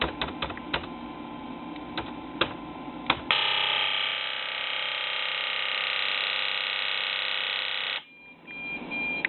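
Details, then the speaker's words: Ford 7.3L Powerstroke injectors on a custom flow bench controller driving the IDM, commanded 3900 rpm with 3.05 ms pulse width: fast steady buzzing chatter for several seconds, then cuts off cleanly; injectors firing evenly, working normally. "Obviously that was working. You can hear the sound of it. You can see a signal."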